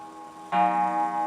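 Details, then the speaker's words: German wall clock, restored free Marketplace find with new pendulum-arm spring, striking after reassembly: clean bright gong strike decaying evenly over soft ticking, about 10 o'clock; striking train working properly, nothing to complain of. "Perfect. Nothing to complain of. 7. [music] Sounds like 10:00."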